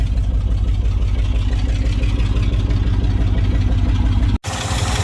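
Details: Old International Harvester service truck (Binder), carburetor with no air filter, warming up at low idle. Steady firing pulses about three a second with no knocking or misses, and it sounds healthy, though raw fuel smell is noticeable.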